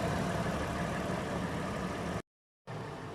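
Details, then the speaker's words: 2010 Toyota 4Runner warm idle, hood open at the front, during pre-purchase inspection: low, steady, even hum with no ticking, knocking or stumbles; engine sounds very smooth. "there are no exhaust leak so sounds good in the back the smoke is in a normal color um at the front engine sounds very smooth"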